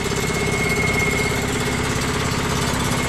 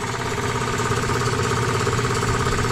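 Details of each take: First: Free scrap electric air compressor on its first run after revival, not yet oiled: rapid pumping chatter with a faint high whistle, with lots of air blowing out and nothing on the PSI gauge. No pressure at first; it later reached 30 PSI. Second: Free scrap twin-cylinder electric air compressor, made in China, at the moment it first starts after revival: even, fast pumping thump and smooth drone, no knocks or squeals. Nice and quiet.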